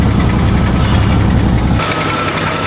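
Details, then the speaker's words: Jeep first start after the distributor was reinstalled with the rotor 180 degrees from its original position and turned by trial and error: heavy, lumpy low idle that stumbles before settling; runs poorly from incorrect ignition timing. "It's alive! But it's running kind of shitty."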